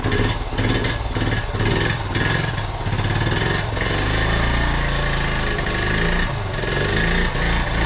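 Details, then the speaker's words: 1976 Honda Z50J1 single, just restarted and warming up, with a recently fitted new carb possibly untuned: it revs unevenly, popping and stumbling with ragged gaps before settling. Misfire from an incorrect ignition points gap. "Damn it! Still running bad."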